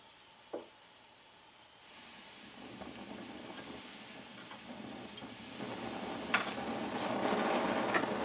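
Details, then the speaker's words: Svea 123 Swedish backpacking stove, self-pressurizing with no pump, earlier leaked flame: quiet sizzling hiss building slowly with soft clicks as the burner warms, normal priming before full tank pressure. "Takes it a second to prime because you got to develop that pressure in the tank, and once you get it primed, it's a great little stove."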